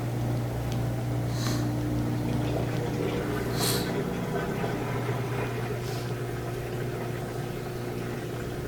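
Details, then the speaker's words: LG washing machine that wasn't draining, after drain pump replacement, tested on a drain and spin cycle with water in the drum: steady low electric hum and smooth pump whir with a few light clicks, no grinding; normal drain pump operation. "Yeah, that's great. I can hear the drain starting to spin."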